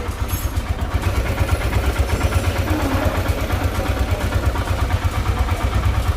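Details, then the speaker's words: Royal Enfield Himalayan after camshaft/head work and valve clearance setting (intake 0.8, exhaust 0.23), first start: steady thumping idle about three beats a second, fairly even, no knock or clatter; engine running healthy. "यह हुई हमारी गाड़ी start sound देख सकते हैं आप इसका क्या है"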